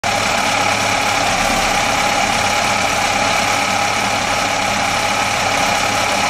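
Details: Atomic 4 inboard engine: steady drone with irregular pops mixed into the running; popping audible, cause not clear.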